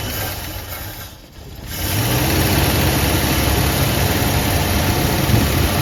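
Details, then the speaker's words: 1973 Ford F100, 302 Windsor V8, 3-speed column manual, just started after 16 years parked and carburetor work: even, steady low idle burble with no knock or tick; a little smoke, owner expects it to quit once rings seat. "man it's not knocking enough like a sewing machine man it's a runner"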